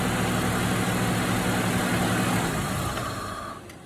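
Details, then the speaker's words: 2003 Outlander with a brand-new battery: steady idle, then the note sags and dies within seconds after the positive battery terminal is removed. The presenter takes this to mean a bad alternator; not confirmed. "so the car dies that means i have a bad alternator"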